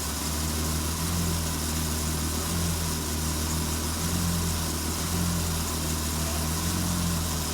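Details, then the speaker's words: 2002 Acura TL-S after replacing the leaking high-pressure power steering hose and bleeding: steady even idle with low hum, no power steering pump whine or fluid noise heard from inside. "and from inside the vehicle I don't hear any power steering fluid noise or any power steering pump noise so that's good"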